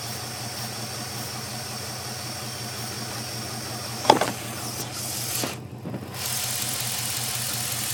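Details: 5.7 Hemi V8 holding a low steady idle with an uneven, lumpy beat underneath; rough idle, cause not pinned down yet.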